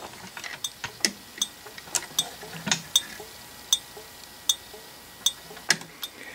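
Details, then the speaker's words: Old-style thermal turn signal flasher on a bench with a battery, bulb and knife switch: crisp metallic clicks roughly once a second, slightly uneven, from a metal strip bending to open and close contacts; normal cycling. "so this is nothing more than a little switch is all it is that's opening and closing due to a small metal strip that is uh changing shape"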